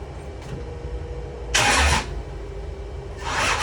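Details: 1972 Chevelle with 540 big-block, hard start: two bursts of cranking churn with no firing, and no spark on the passenger side; owner suspects the battery, distributor or starter, cause still unclear.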